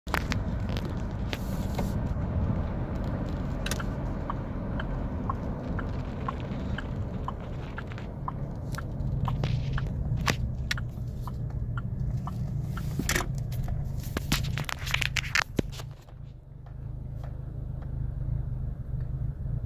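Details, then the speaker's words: 2009 Chevy Colorado with code P0017: low, uneven idle that sags and nearly stalls, shifted to neutral then stops; caused by faulty cam phaser. "stalling right there it's about to turn off so I'm gonna flip it into neutral and now it's stopped"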